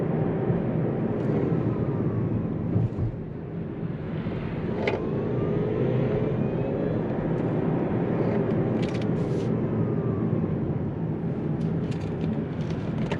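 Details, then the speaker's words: Kia Niro EV / Hyundai Kona Electric on road test after reduction gearbox bearing replacement: faint whine over road roar, rising with speed and under load like a rough bearing; quieter than before but still present, suspected worn drive motor rotor bearing. "sous charge ça s'entend comme ça va comme un roulement n'est pas lisse"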